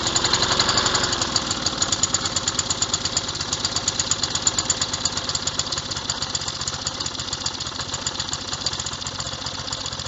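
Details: Revived old Snapper riding mower, 12.5 hp Briggs & Stratton single, after years sitting: steady, slightly uneven thumping beat, holding speed without dying; runs fine now.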